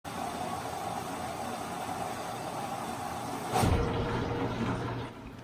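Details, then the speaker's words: Washing machine water supply before hammer arrestors are installed: rushing water shuts off with a sharp thud, then a low humming buzz as the pipe vibrates in the wall, which is water hammer. "the water shuts off you can hear a thud and then a pipe vibrating in the wall that is water hammer"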